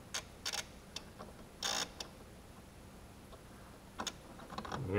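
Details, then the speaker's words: 2004 Ford Escape that won't run, with no fuel pump heard at key-on. During a fuel pressure test, the fuel pump relay gives several sharp clicks with no pump hum and no fuel pressure. A fuel pump fault is suspected, not confirmed. "it's trying to turn itself on so I have power to the relay but I still have no fuel pressure"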